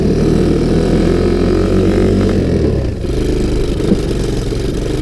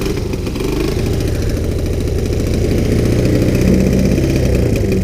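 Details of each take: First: Sunl 110cc ATV, not yet warmed up, accelerating from first into second; engine pulls, then sags and stumbles as load comes on, bogging down; owner thinks a bigger rear sprocket would help and choke may need backing out, unconfirmed. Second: Sunl 110cc ATV, revived after being abandoned and seized, cold start with choke on after sitting out overnight at about 40 degrees; small single fires up and settles into a steady, even putter around four beats a second, some wind noise; normal cold start and idle.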